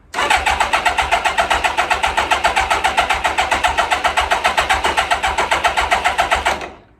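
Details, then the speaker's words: 1999 Kawasaki 600 with loss of power and bogging on acceleration, cold start: catches into fast, even buzzing idle around 220 pulses a minute on choke; runs lean starting up, idle circuit jets suspected. "the only thing is it's it's it's lean starting up got to have the choke on for a while you it's got to you got to turn the idle up and then as it warms up you can turn the idle down a little bit"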